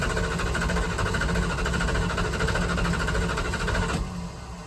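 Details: 1978 Dodge Power Wagon 318 V8, not started in over a decade, primed, old-fuel line cut, choke disconnected, electronic ignition: starter turns the engine over evenly for about four seconds but it never fires; cranks without starting.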